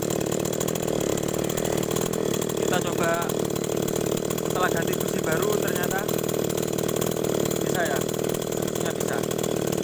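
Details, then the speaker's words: Small two-stroke agricultural sprayer engine, after fitting a new spark plug to cure hard cold starting: now starts and buzzes at a steady high rev with constant tone, no misses or surging; runs normally. "kita ganti dengan kunci yang baru ternyata hidupnya lagi"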